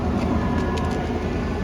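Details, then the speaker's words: Salvage-auction truck listed Trail Boss LT with Z71 badge, probably sat a while, smoky at start: steady, even idle with a smooth low rumble and no knocks or ticks; runs normally and sounds good. "Overall, sounds good."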